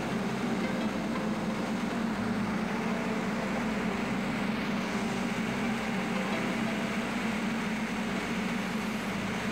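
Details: Main air compressor after its after cooler was replaced, pressure now stronger: steady, even mechanical drone with a constant low hum and no knocking, squeal or surging; running normally.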